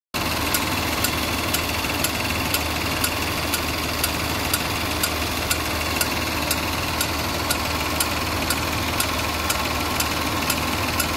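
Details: Land Rover LR4 (Discovery 4) 3.0 supercharged petrol V6, 127,274 km, code P0483 fan performance signal frequency too low: sharp even light metallic tick about twice a second at idle; owner suspects failed fan clutch; engine sounds diesel-like.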